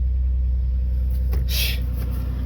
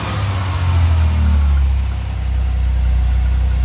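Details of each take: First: 1989 Chevrolet Celebrity base model, 205,000 miles, after battery reset and correcting tampered setup: deep steady low rumble, no hunting or surging, brief hiss overhead; normal idle. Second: 1989 Chevrolet Celebrity base model, 205,000 miles: low idle swells and sags in slow waves, dropping too low, surging, nearly dying and catching itself; vacuum leaks causing hunting idle, IAC valve to be swapped.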